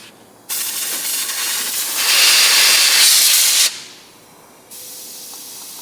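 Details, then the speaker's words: 1961 Corvair 900 Monza, blow test with compressed air through an old brake line removed from the wheel cylinder: thin hissing bursts instead of a free rush, line likely swollen closed inside with age; restricted hose, new lines likely needed. "you can hear a little bit coming out, but it's not free flowing. These lines, as they age, they'll swell, they'll break down and swell inside and swell closed."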